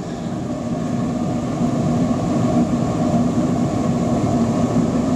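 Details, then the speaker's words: Torpedo waste oil burner running on waste vegetable oil, lit with diesel and burning paper instead of gas preheat, paper pushed back: low roar steadily growing louder and fuller as the flame catches and throttles up; normal light-up. "If I can see the diesel still puddled in there, that'll actually act like a wick. You might be able to hear it is actually getting a throttle up."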